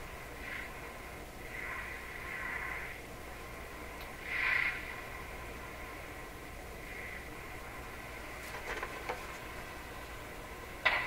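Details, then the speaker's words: Northern Electric Model 5200 Baby Champ tube radio with a replaced 12SQ7 tube and an external antenna: a steady hiss with faint, fading station audio; a poorly resonating antenna or the signal capacitors are suspected. Weak reception with static. "Still doesn't seem to be tuning properly."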